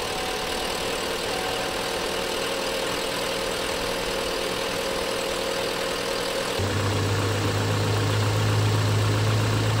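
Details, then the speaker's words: Car after replacing coolant temperature sensor and thermostat to cure radiator fan always running full blast, coolant refilled and bled: steady, even idle with no fan roar after start-up; fixed, running normally. "She's fixed, baby."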